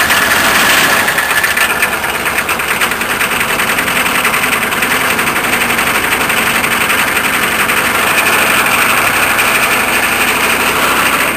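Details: K5 diesel, glow plugs used, snowy cold start: cranks with a few uneven firing kicks that die away each time and never settle into idle; cranks but won't start.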